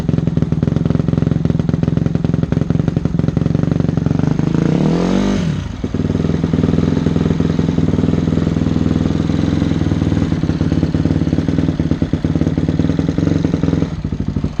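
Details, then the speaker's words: Fire-damaged Honda CRF250X single-cylinder with aftermarket exhaust and cut airbox top, only runs on choke: ragged uneven fast idle dipping and recovering after a blip; running lean, needs larger pilot jet. "It won't run without the choke, which is just telling me that we need to go even larger on the pilot. We've got a aftermarket exhaust here that I'm sure opened things up, and we also cut the top of the airbox off, did that modification."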